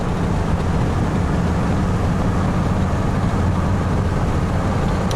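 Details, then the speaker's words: Chevy/GM truck driving after the bad part behind its reduced-power P1515 throttle performance fault was replaced, no codes present. Even engine drone and road rumble with no surging or hesitation; data looks good. "Oh, so far so good. All the data looks beautiful. Truck drives nicely."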